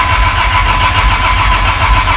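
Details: Freshly built Toyota 80 Series Land Cruiser engine, first start attempt, battery in passenger seat at only 11.5 V: rhythmic, labouring slow cranking with no firing as the battery goes flat.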